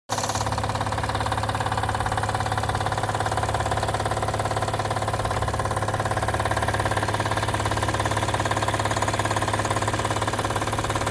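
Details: Acura TL at idle: even ticking knock about two and a half times a second over the engine, with no performance loss; something loose or worn, cause unclear.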